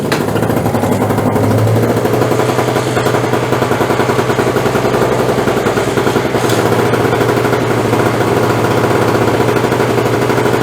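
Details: Craftsman 5.0 hp two-stroke snowblower rescued from curb, after repairs, primed and choked: pulls over and settles into fast, steady buzzing run with even beat; normal running.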